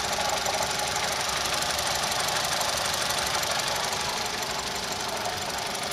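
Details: Engine with code P0016 (crankshaft/camshaft position correlation) that developed a knock: sharp, fairly regular knock about three per second over the idle; cause unconfirmed.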